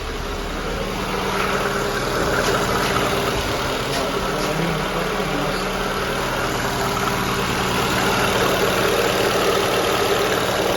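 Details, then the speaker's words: 1.5-litre VAZ 2109, previously a no-start with a crankshaft sensor error. After clearing the error and switching off the gas (LPG) unit it caught at once; owner still suspects the gas unit. Steady, even idle hum with a low rumble, no misses or knocks; runs smoothly. "Ні як бачим там все так друзі що в ЧМ була проблема була тільки помилка по датчику колінвала як побачили ми і вона завелась"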